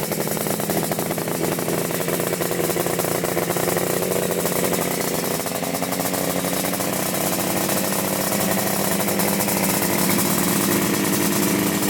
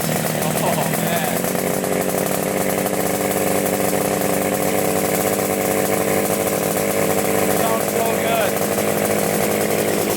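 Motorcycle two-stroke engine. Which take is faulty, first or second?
first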